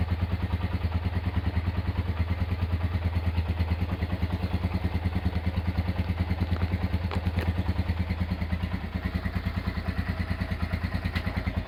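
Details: Honda GL100 single-cylinder engine, roughly 2000–2002, after full rebuild with Aspira piston and rings, CDI ignition, valve clearance 0.10; steady, regular low thumping about two beats a second, clean and smooth with no knock or rattle.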